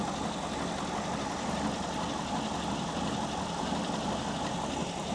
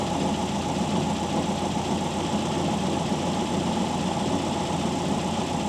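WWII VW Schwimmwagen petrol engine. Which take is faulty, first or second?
first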